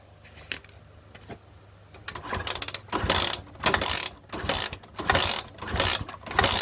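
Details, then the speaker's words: Honda Sonic 125 that would not start after being parked, three days after a repair with new spark plug and new carburettor: cranking compression test with throttle held wide open reads 150 PSI. Starter whirs in even bursts with steady rhythmic chuffing; normal compression. "ค่าที่ได้นะครับ150PSIน้ำมันจากถังลงมาก็ทำงานไฟออกกำลังอัดมี"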